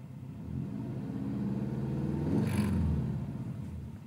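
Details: Subaru STi with a 20G-XT turbo, bigger injectors, a new turbo inlet and a limp tune: the idle hunts up and down after revving or when coming to a stop. The owner suspects a vacuum leak, which is not confirmed.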